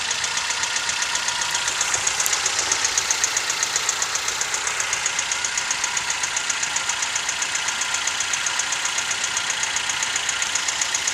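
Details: Toyota 1NZ-FE engine at idle: fast, even light ticking about four per second over a smooth idle, a steady top-end knock; owner has been told it may be the timing chain and VVT-i coupler, unconfirmed.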